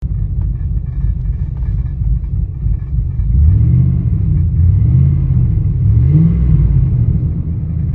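Low, uneven rumble at idle with the beat wandering and surging instead of staying steady; this engine is idling rough. Cause suspected, not confirmed.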